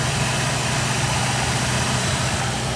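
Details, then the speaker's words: 1958 Chevrolet Corvette V8 at warm idle after an oil change (Castrol 10W-40 with zinc additive): smooth, even low rumble, no ticking or puffing; idles quietly and healthy. "So much quieter. I can put my hand down here and I'm not getting burned. She's happy."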